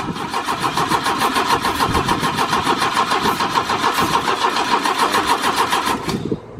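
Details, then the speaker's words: 1972 Opel GT with 32,000 miles, stored for decades and on its first start attempt: even starter churning at about 3.5 beats per second for six seconds, never firing. Cranks but won't start; flooding is suspected but doubted, and a battery tender may be needed. "I couldn't have flooded that quick little Dick's not not keeping just keep it cranked and we'll hook the battery tender up to it if we need to"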